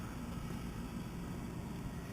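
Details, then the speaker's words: Diesel heater in a 1977 VW Bus Riviera camper, thermostat set at 17 °C, winding down after running at full output: low even fan hum with no rattles or surges; operating normally. "The heater is in full action right now. It's pretty warm. You can hear it."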